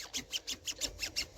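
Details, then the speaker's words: DVD player disc loader mechanism with plastic gears and no oil or lubricant: rapid, dry, high-pitched scratchy squeaks, about six a second, as the gears move roughly; friction source of the noise, fixed by replacing the mechanism. "This thing moves super uns smooth. It is it's it's just generating friction all over the place."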